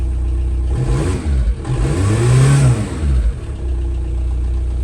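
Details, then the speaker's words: VW Caddy 1.9 SDI diesel, cold day about 4°C, after replacement ECU fitted: idles then picks up cleanly on throttle blips, revs rising and falling smoothly with no hesitation; throttle working normally. "let's see if we have a throttle yep we have a throttle as well so sounds good to me"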